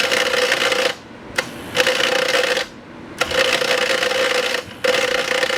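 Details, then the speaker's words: TIG welder: loud harsh electrical rattle in roughly one-second bursts from the main relay chattering despite cleaned relay contacts; it eased when high frequency was switched to start only. "That's the loud rattling sound. That's the really loud rattling sound there. See, it stopped as I changed the high frequency to just start."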